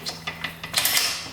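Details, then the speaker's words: 1975 Yamaha RD200 two-stroke after 20 years in a barn, no fuel, gearbox shifted by hand: light, crisp clicks about every fifth of a second through first, second, third and neutral; smooth, normal gear selection. "all right so it goes through the gears really smoothly that's that's a good sign"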